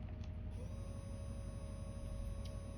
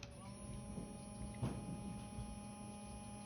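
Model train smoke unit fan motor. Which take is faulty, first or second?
second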